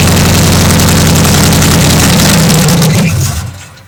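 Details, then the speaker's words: 1973 Chevy Nova with carbureted stock 350 V8, smog gear stripped, vacuum leaks fixed, open shorty headers with no exhaust; very loud raw rumbling idle with a harsh crackle before shutoff; loud exhaust from open headers. "fired it up a few more times realize some vacuum leak issues got those things buttoned up and fired this thing off and it sat there and idled pretty nicely although it sounds terrible this is the worst sound in carbone stock 350 with open shorty headers is bad"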